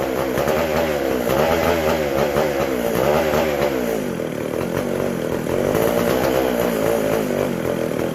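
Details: McCulloch SP125 chainsaw: races high and surges unevenly, revs hunting, lean; carb not drawing fuel or pulsating, gas cap sealed off with venting in doubt; a large carb-to-intake gap was later found.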